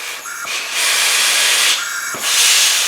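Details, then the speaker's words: 1984 Craftsman lawn tractor with a Briggs & Stratton engine that won't start from low compression. Leakdown test with about 75 psi in: a steady, loud hiss of air escapes out the exhaust, none from the breather. Owner suspects a burned exhaust valve, not the head gasket. "it's like it's probably a burned exhaust valve"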